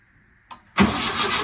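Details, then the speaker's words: VW Wizard on ramps, out of gear, newly wired, no fuel tank fitted and no accelerator cable connected: starter spins engine briskly with no firing, cranking with no fuel supply. "There's no fuel tank. I just want to see if he coughs and splutters. There's no fuel tank in until tomorrow."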